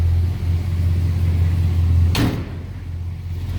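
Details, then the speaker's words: 1956 Chevrolet pickup with a 350 V8, heard from the rear. Low, even V8 rumble holding a steady idle beat, one door-like clunk midway. Nice running and starting truck; normal idle. "Slip around to the back here. An idea how it sounds. Nice little rumble out of that 350."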